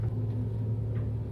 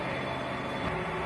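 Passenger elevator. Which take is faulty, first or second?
first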